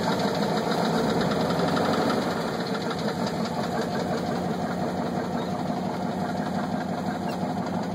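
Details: 1983 GMC engine running: steady idle with a pretty bad, deep, regular knock about three times a second, consistent with a worn connecting rod bearing (rod knock).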